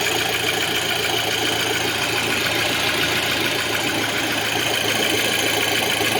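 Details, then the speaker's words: 2006 Audi A6 2.0 FSI turbo: warm idle with a loose, uneven metallic rattle over a hissy engine as the low oil pressure light relights about 20 seconds after restart; oil starvation suspected, possibly a blocked oil pickup. "І ось до він поробив буквально якихось там ще 20 секунд і вже знов горить горить масльонка. І тут чути, що він робить якось нехорошо."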